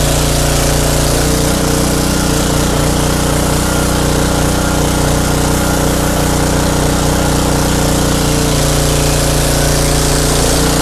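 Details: Craftsman pressure washer, 5.5hp Briggs and Stratton Intek 190 single-cylinder, after carburetor cleaning: holds a steady, fairly even speed with a constant low drone; engine running.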